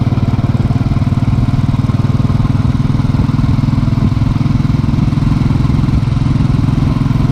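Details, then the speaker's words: Motorcycle with replacement engine, starter, throttle body and fuel injector, hot after a short ride: steady even idle with smooth low thump, no knocking or valve tick; healthy after repair. "you'll notice no knocking on takeoff and this is what the hot engine I've already gone for a ride a short little burst so let's go ahead and listen to this"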